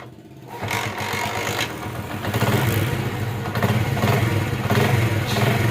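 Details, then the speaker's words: Honda CD70 motorcycle after fitting an additional part to the timing chain tensioner rod (its ball leaked and couldn't hold pressure): small single starts and idles evenly through light revs, timing chain rattle gone. "इसका आवाज जो है वो बिल्कुल ही प्यारा बन गया है जनन आवाज बन गया है जो पहले जनन होता है वो आवाज बन गया है अब इसमें टेम चैन का कोई आवाज नहीं है बिल्कुल ही सेट हो गई है"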